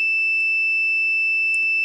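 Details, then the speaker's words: PL530 turntable with intermittent channel dropout: multimeter continuity test on the negative/ground lead from headshell outer post, clean steady high beep with no dropouts confirming a good connection on the right channel. "So it's good on the right channel, and I'll do the same with left if I can get around the blue cable on the head shell."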